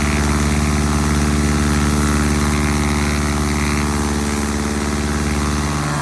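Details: 1946 Piper J-3 Cub at idle on its first start after a four-year restoration. Lines took a minute to prime. Temperature was just over 100 and mags and carb heat checked good. Steady, smooth, even low drone with no stumbles or knocks; normal idle.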